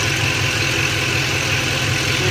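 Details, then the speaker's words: 2007 Ford F-150 4.6L 2-valve V8 with a P0306 cylinder 6 misfire code, at idle after swapping the cylinder 6 coil: a steady, even low rumble with no stumbles; no misfire is felt right now. "let's start it up let's go ahead and take a look I don't feel it misfiring right now"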